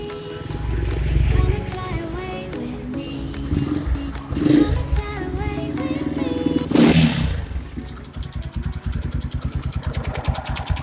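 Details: Kawasaki KLX single-cylinder engine, owner complains of a "kletek-kletek" sound: rough, rapid metallic clatter under music; teardown found a very loose, heavily oversized piston, piston slap.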